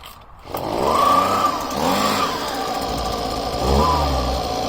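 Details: Husqvarna small two-stroke after fuel line replacement, fresh fuel, first start: fires up and runs at steady buzzing idle with a couple of brief blips, no misses or rattles; normal running.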